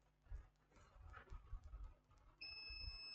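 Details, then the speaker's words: Laptop motherboard short-circuit repair: the capacitor removed from the board is tested with a multimeter, which gives a steady high continuity beep, so the capacitor is shorted and has failed. "here's the multimeter is bibing so so the capacitor has gone the capacitor has gone"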